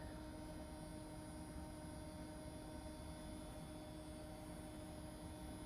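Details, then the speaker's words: Sony Vaio PCV-120 powering on with its original spinning hard drive: steady, constant high whine with a low rumble underneath and no ticks or clicks; the old hard drive is running normally. "That old spinning hard drive, you can really hear it. I'm not gonna miss that if I get it working."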